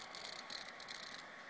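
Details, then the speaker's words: 2010 13-inch MacBook Pro under load burning a DVD: faint fan with irregular bursts of static crackle and hiss; not from the hard drive, speakers or fan, owner suspects power supply, logic board or CPU. "It sounds like it's not coming from the hard drive. Doesn't sound like it's coming from speakers. Doesn't sound like it's coming from the fan. You can hear the fan, but it's not making that noise. Sounds like it might be power supply or logic board, CPU."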